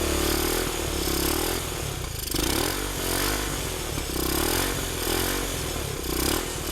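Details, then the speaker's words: 1971 Honda CT90 sold as non-running with low compression, fresh gas after old fuel: small single putters at fast idle with slight rises and dips, steady and healthy; normal running after repeated kickstarting. "all right I am uh I'm tired of kicking that thing but man that sounds good so that sounded pretty good"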